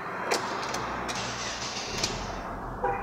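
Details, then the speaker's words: 2008 Stilo 1.8 cold first start after fuel pump work and cleaning a dirty pre-filter: smooth idle with no whine or drone, the previously very loud fuel pump noise gone. "perfeito não ouvi nada né nada ó tá de boa vocês não tinha noção no do barulho que era alto né"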